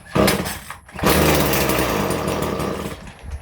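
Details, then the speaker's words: Stihl FS 56 RC weed trimmer, cold start on full choke after heavily priming to flush wrongly mixed 20:1 fuel with correct 50:1: pull, brief pop, fires and revs about two seconds then dies, as expected; normal cold start. "It should start and then turn off cuz it's a cold start."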